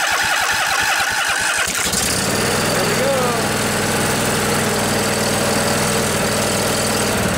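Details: Briggs & Stratton Intek OHV twin (20-22 hp, model 40777) in a junkyard Husqvarna riding mower with new carburetor, light choke, pump-fed fuel: starter cranks about two seconds, then catches and settles into steady even running without misses; normal start and idle.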